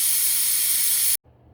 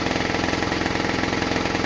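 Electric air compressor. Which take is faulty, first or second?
first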